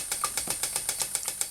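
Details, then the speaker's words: Stuart "donkey" steam water pump model, 6 cm3 displacement, rated 40 to 400 strokes per minute, running slowly; crisp, even clicking about eight strokes a second with no knocks or hesitation, pumping water normally. "ça pompe alors là elle va tout doucement c'est une pompe qui peut aller jusqu'à 400 coups minute on peut pas parler de tours puisqu'il n'y a pas de requins"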